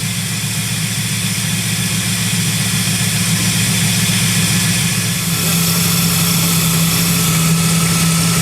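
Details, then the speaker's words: Vehicle idling after a serpentine belt squeal fix: a smooth, even, quiet idle with a steady low drone and no squeal or chirp, so the belt drive sounds healthy. "see how quiet it is why it felt nice and quiet smooth"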